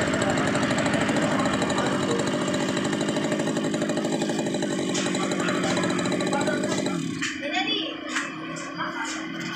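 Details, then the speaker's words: Stihl brush cutter (string trimmer), nearly new, that would not start after a day's use (cranked ~100 times), after spark plug and carburetor refitted: small two-stroke idles steadily and evenly for seven seconds, then cuts out; normal idle, problem fixed. "Setelah itu kita tes hidupkan. Nah, sudah hidup normal. Guys, enggak ada masalah lagi."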